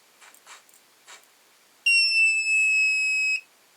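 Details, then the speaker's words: Lyman Gen 6 powder dispenser/scale after an attempt to quiet the buzzer: faint clicks, then one piercing steady high beep of about 1.5 s at charge completion; only slightly quieter, still too loud. "The big deal is the buzzer when it's finished dropping a charge. Let's see how loud that is."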